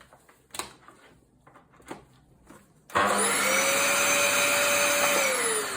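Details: Vacuum cleaner, the owner's own unit run for comparison: a few quiet knocks, then the motor spins up to a smooth, steady whoosh with a clean high hum and no whistle. This is the normal reference sound.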